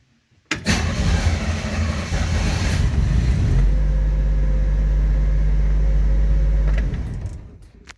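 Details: 1967 Chevy van with a replaced ignition switch/lock after lost keys. Short crank, fires right up and flares, then drops to a steady, smooth idle with an even low rumble. Normal start and idle.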